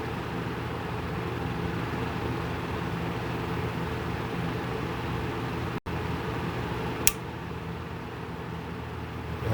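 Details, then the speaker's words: Whirlpool refrigerator, 15 to 17 years old, not cooling: a steady compressor hum, then one sharp click as it cuts out; a bad start relay cycles the compressor, with clicking every three to four minutes. "the relay is turning the compressor on and off and the indicators for a bad relay to listen for is a clicking sound every three to four minutes"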